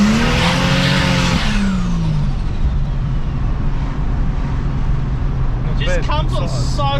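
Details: Ford Fairlane just after a turbo swap, about 15 psi boost, automatic gearbox, microphone outside the car during a full-throttle pull: the engine note climbs strongly and smoothly with no flutter, rattle or misses; normal full-throttle acceleration.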